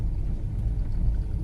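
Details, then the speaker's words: Fiat Strada after a new TRW steering box and tie-rod end, road-tested slowly on cobblestones up and downhill; only low tyre rumble, no clunks or knocks from the front end. Normal steering and suspension. "Já desci subi que várias vezes sem barulho nenhum"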